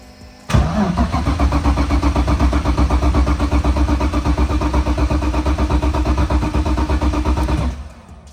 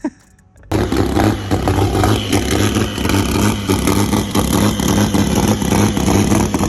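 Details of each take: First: BMW E46 drift car, crashed and unstarted for a long time, fuel level unknown: strong even cranking about four beats a second for seven seconds but never catches; cranks, no start. Cause suspected, not confirmed. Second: BMW E46 drift car, earlier clip from when it was healthy: loud six barks to life and revs hard and clean, pulling smoothly with no knocks or misses. Normal revving.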